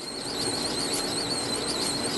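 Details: 1970s Kenwood KW-5066 reel-to-reel tape deck, solid state, at initial evaluation before overhaul: high, wavering squeal held steady over faint hum, pointing to a dry or stiff spot in the tape transport; cause suspected, not confirmed.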